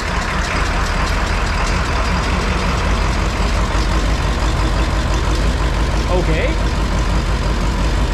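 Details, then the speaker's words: Ford Powerstroke diesel tow truck that wouldn't start for months, ether sprayed; loud diesel clatter at idle with an uneven, lumpy beat; not running smooth but running, cause not confirmed. "not running smooth but it's running why wouldn't it start for months"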